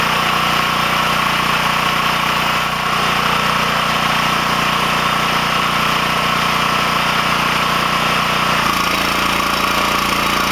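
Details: Coleman Powermate generator running after its rectifier board was repaired and refitted: a steady mid-pitched engine hum running evenly, settling slightly in tone near the end; running normally.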